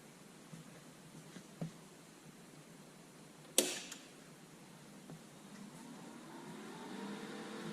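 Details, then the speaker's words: Lincoln Electric Aspect 230 AC/DC water-cooled TIG welder switched on at the rear: a click, then the cooling fan whirs up to full speed and settles back down. This is a normal, fast startup. "So you can see it's a very fast startup procedure. The fan goes up to full speed and then comes right back down, and they say that turns pulsing on, and this will illuminate telling you that pulse is on."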